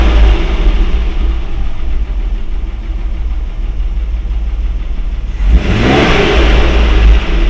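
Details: Mercedes W126 with carburetor swapped for one from a 123, idling about 800 rpm: steady low even rumble, then smooth clean rise in revs with no knocks or misses; runs normally, original carburetor suspected faulty.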